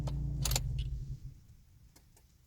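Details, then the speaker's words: 2003-2007 Mitsubishi Colt CZT with CAN bus fault (code U1108), engine idling: sharp, irregular clicks from behind the glovebox, occurring consistently as dash dials bounce; CAN bus issue suspected. "clicking down there you'll hear that consistently when the dials are bouncing about"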